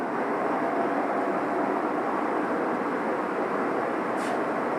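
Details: Clothes dryer converted to a space heater, blower motor started through the old door switch on a 15 amp circuit: steady, even rush of air with a low motor hum and no knocks, rubbing or squeal; the blower runs smoothly.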